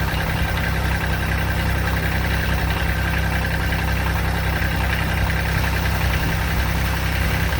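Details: 2006 Kubota BX23D tractor, D905 three-cylinder diesel, restarted after valve adjustment and valve cover leak check: steady, even idle with a low smooth drone, no misses or surges; sounds healthy.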